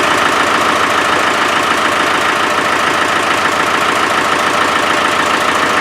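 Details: Land Rover 300Tdi diesel idling: fast, fairly even puffing chuff about three or four a second; owner believes compression is leaking around the glow plugs; suspected, not confirmed.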